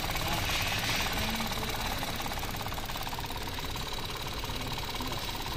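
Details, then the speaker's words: Mitsubishi Mirage three-cylinder shaking through to the steering wheel: uneven lumpy idle pulsing near three per second over a rattly background, strong vibration felt; spark plugs suspected as the usual cause, not confirmed. "Spark plug kadalasan ganyan. Okay. Lakas, oh. Ramdam na ramdam."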